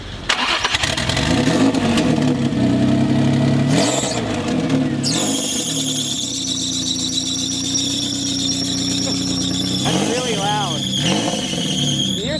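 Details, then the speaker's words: Custom top-mount turbo 350Z, just started after reconnecting an unplugged idle-related sensor: loud steady high-pitched belt squeal over idle; owner suspects the belt is too tight, unconfirmed. "Alright, so it starts pretty well, but you hear the belt's pretty squealy. Is it too tight?"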